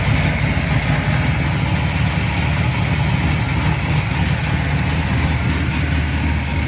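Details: 1972 Chevrolet Chevelle, aluminum-headed 462 cubic-inch big block built last year, about 602 hp, rebuilt Turbo 350 with stall converter and shift kit: deep, lumpy V8 burble at steady idle with smooth rises in revs, no knocks or misses; normal idle and revving.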